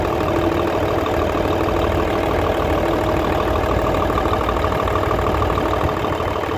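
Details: Hino Euro J08C six-cylinder truck diesel after air compressor repair, started and checked for noise, smoke and timing: even, steady idle clatter about 150 beats a minute, no knock standing out; normal healthy idle.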